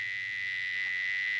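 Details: Heavily modified Galaxy 88 CB radio under repair: steady high-pitched squeal at one pitch over a faint hum. The echo board is unhooked and ruled out; the fault lies somewhere in the modded circuitry, not yet found.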